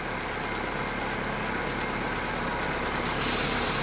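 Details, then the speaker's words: Chevrolet Corsa Classic 1.6 (not 16-valve) idling slightly high: steady idle under a constant airy hiss swelling near the end; vacuum leak at the brake booster hose seal. "mas o nosso que ele tá sempre pouquinho acelerar ele tem um barulho diário puxando eu venho aqui olhar"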